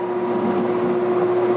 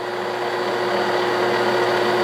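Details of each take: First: 1967/68 Clausing Colchester lathe parting off a threaded button for a hydraulic shaft with a slightly heavy hand feed: steady mid-pitched squeal; parting tool chatter from heavy feed and too little cutting fluid. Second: 1967/68 Clausing Colchester 1340 lathe taking a heavy 0.060 in diameter cut on a steel hydraulic-shaft button: a steady, smooth, even hum with no knocks or chatter. The lathe is running quiet and healthy.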